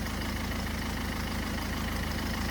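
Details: 2011 Ford Focus turbodiesel, earlier crank-no-start with no fuel pressure and jelly-like debris found, now restarted: steady even diesel clatter at idle, constant rhythm, no misses or surging; normal idle.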